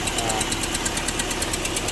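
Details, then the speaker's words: Car at 119,965 miles, just after new motor mounts were fitted, with a coolant leak present. A light, fast, even tick of about seven to eight per second runs over the idle. A noisy right-side valve is suspected. "The valve. Yeah, there we go. The right side valve is making a noise, but is what it is."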